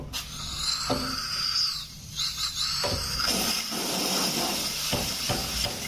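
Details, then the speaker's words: Single-door refrigerator not cooling, compressor hot; dryer pipe opened, steady airy hiss with faint high whistle and handling clicks as refrigerant escapes; plenty of freon remained, so no leak, blockage diagnosed, filter to be replaced. "Ini keluar, cuman sedikit ya teman. Yang keluar kedengaran mungkin."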